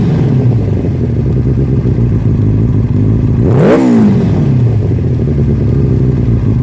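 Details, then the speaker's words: 1996 Suzuki Katana 600 project bike: steady even idle with one quick clean throttle blip that drops straight back, no knocks or misses; it starts up and runs really good. Normal running. "but it starts up runs really good we'll get some running footage of it"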